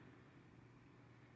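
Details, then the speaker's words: Baby Lakewood box fan model C-122X after cord splice, cleaning and oiling, running on low: quiet steady hum with an even airy rush, no ticking, rubbing or rattle. Works really well, like a wind tunnel. "this thing works really well i mean jeez it's like a wind tunnel"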